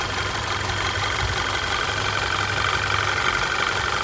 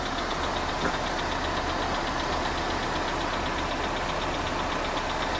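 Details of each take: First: Audi Q5 2.0T TFSI after engine replacement (old engine destroyed, rods knocking), driven a few miles: quiet, even idle with light fast injector tick and no lifter clatter; normal healthy sound once lifters build oil pressure. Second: Audi Q5 2.0T TFSI replacement engine, cold start after the old engine destroyed itself: rapid, even ticking clatter of about four taps a second over idle, audible outside the garage and called abnormal; likely dry hydraulic lifters pumping up.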